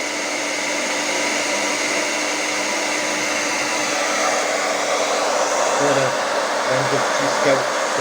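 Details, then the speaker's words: Hair dryer after motor replacement with an aftermarket motor, professional-grade salon dryer used for several years; second fan speed with heating, nearly 8 A draw: steady even air rush over constant motor hum, no rattle, scraping or speed wobble; repair successful, normal running. "także naprawa się powiodła"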